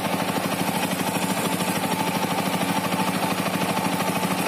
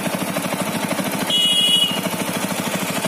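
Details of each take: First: TVS Apache RTR 200 4V BS6, under a year old, riding after the service center tightened loose cylinder head nuts. Even, steady beat with no head tapping, brief dip as throttle closes; normal running engine. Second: TVS Apache RTR 200 4V BS6, under a year old, after a long ride at fast steady idle: light, quick tapping from the engine head; service center tightened loose cylinder head nuts, fixing it.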